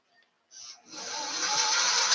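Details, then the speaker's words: Singer Stylist 834 sewing machine motor after cleaning sluggish foot pedal connections and bending the pedal barrel contact for solid contact: spins up quickly to a smooth, steady high whir, far better than before. "now that sounds pretty good doesn't it it didn't sound like good before"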